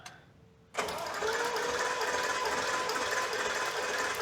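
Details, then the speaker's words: 1973 Maserati Indy V8 during a compression test with spark plugs removed: after a click the starter spins the engine in a steady, even whir with no uneven beats, and the cylinder reads about 130. Normal cranking. "Turn the key off. You can hear it spinning nice and smooth. Smell a little bit of fuel, but that's all right."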